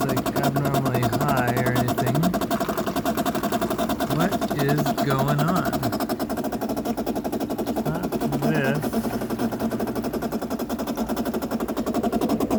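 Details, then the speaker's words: 2008 Bosch dishwasher, about 12 years old, filling with water; had overflowed and leaked. Fast uneven buzzing rattle over rushing fill water; inlet valve chatter. "okay this is the noise that's happening we don't have water draining out we have water coming in"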